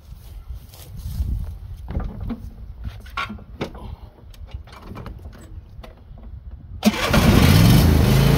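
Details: Old John Deere mower running after mower deck spindle repair, fixing an earlier odd noise with smoke. After clattering handling, the engine fires and settles into a strong even run with no squeal or knock.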